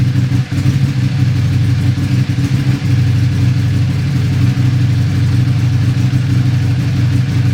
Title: Buell 1125r rough idle